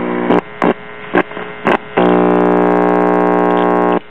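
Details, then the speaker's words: Symphonic 78 rpm record player's one-tube amplifier on first power-up: a steady low mains hum with clicks and short bursts, then a loud even buzz through the speaker. The amplifier works; the turntable motor is seized. "that amplifier is pretty stout for a one tube [Music] Wonder"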